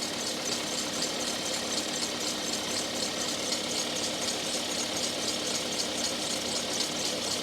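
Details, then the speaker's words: Toyota RAV4, which had been stalling from suspected low voltage, idling after fitting a new WEIZE AGM Group 47 battery; charging about 14.43 V: steady, even idle hum with light hiss, no knocks, misses or surging; sounds healthy. "Yeah, it sounds good. Because before it was shutting off, I just didn't think it had enough voltage."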